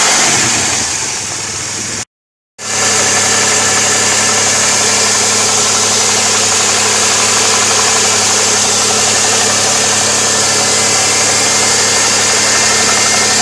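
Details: 2002 Pontiac Firebird 3.8 V6 at steady idle: strong constant high-pitched hiss over the engine note, typical of an intake vacuum leak.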